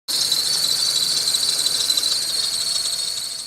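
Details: VW Fox/Polo engine bay: shrill steady squeal near 4 kHz from the serpentine/drive belt slipping on its pulleys. Oil drops on the rollers quieted it only briefly; tensioner roller bearings were first suspected.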